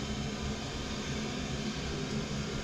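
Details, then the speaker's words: Oil boiler after bleeding air from the oil line (it kept locking out). The burner lights with decent oil flow and runs with a steady, even roar and soft low rumble, no pulsing or surging. "T Just sh been running which is a good sign it should be all right"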